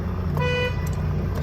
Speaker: air horn, that is working properly.